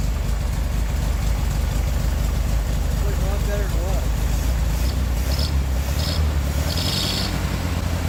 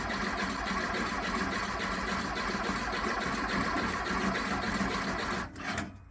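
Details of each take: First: 1969 VW Beetle air-cooled flat-four with Solex downdraft carburetor, after replacing bad condenser and modified coil (unsure which was faulty): low even chugging idle, steady without misses; best since overhaul, normal idle. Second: 1969 VW Beetle, not running for months, after carburetor install: uneven stumbling crank-and-run, irregular firing about five seconds then dies; timing light shows intermittent spark, suspected coil, rotor, distributor or points; intermittent spark misfire.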